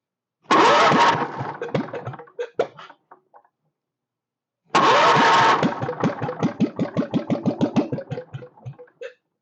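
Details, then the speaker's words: Free stationary Kohler K301 with a race muffler, first start on brake cleaner sprayed into the intake, throttle wide open on the governor: it catches and runs in two short bursts, then slows in spaced, fading firing pulses. "so there now I'm just going to spray a little bit of brake clean in here and the switch on and she's going to be noisy she's got a got a race muffler on"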